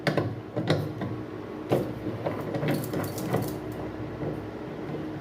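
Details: Consul CWC08 8 kg top-load washing machine, agitator held: irregular rattling clatter with sharp knocks every second or so; worn, stripped transmission gears suspected after the agitator coupling checked intact.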